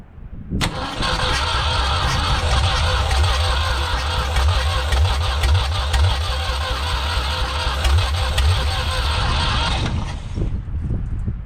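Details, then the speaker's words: 1974 Ford 3550 industrial tractor, first start on starting fluid: runs roughly about ten seconds with an irregular loping beat that stumbles and dies; flooded. "Kind of flooded. Hold on."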